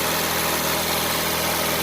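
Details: 2000 Mitsubishi Lancer Ralliart after no-start repair (no power to fuel pump or injectors); steady idle without stumbling or dying, even hum with no knocks; engine idles normally.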